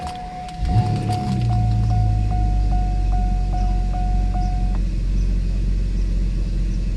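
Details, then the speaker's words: Mercedes S600 W140 V12 after Egas throttle module repair, restart with engine almost warmed up: repeating chime, then engine catches and settles to a smooth, even idle that drops as it should; normal, secondary air pump back on since temperature still low. "Idle should drop like so, and it is doing what it has to do. Air pump is back on because the temperature is still pretty low, but it should shut off quicker than initial cold start."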